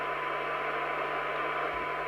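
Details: 1981 World Sound PT40 UK CB radio after receive alignment, signal stepped down to about 0.1 microvolt; steady hiss with a faint, even tone just audible beneath; receiver still picks up a very weak signal, good sensitivity.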